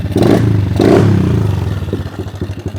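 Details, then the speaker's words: Kawasaki KLX110 pit bike revived with a spare head and a checked float needle and seat, run without an air filter: throttle blips, then a steady, even single-cylinder idle thump with no stumbling; running healthy, clutch needs adjustment. "dude it's actually running real good dang it's like a whole new bike"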